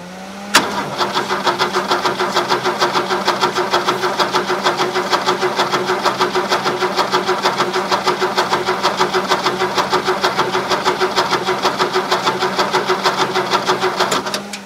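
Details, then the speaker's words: Caterpillar D2 crawler with Holden 202 petrol six, gravity-fed fuel: starter churns about three compression beats a second for fourteen seconds, never fires; spark present, owner suspects stuck carb plunger with fuel not reaching bowl. "I can see it's trying to I think the throttle plunge is completely stuck it's got fuel in the in the in the filter anyway"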